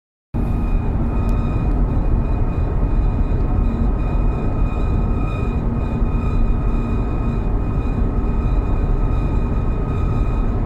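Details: Audi TT RS: thin, steady high-pitched squeal/screech from a rear wheel over heavy low road rumble.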